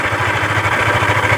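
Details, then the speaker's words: Yamaha Aerox scooter at idle, complaint of loud noise at the CVT case near the primary pulley, pulley removed: harsh, loud clatter with fast, steady low thumping, traced inside the engine to worn connecting rod and crankshaft bearings. "Berisik parah. Ini kemungkinan kendalanya ada di bagian dalam sini ya."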